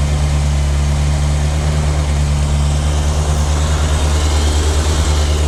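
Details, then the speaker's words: 1998 Yamaha YZF600R Thundercat four-cylinder running after transmission repair, rear wheel off the ground: smooth even hum, no knocks or misfires, no leaks, all gears engage; carburetion still needs setting up. Normal running. "got all the gears that's good i'm gonna have to mess around the carburation a little bit to get it set up right but she sounds good"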